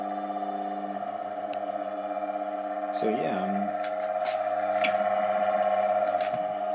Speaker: the old bearings weren't too bad but uh the motor was a little bit noisier with the old bearings than with the new ones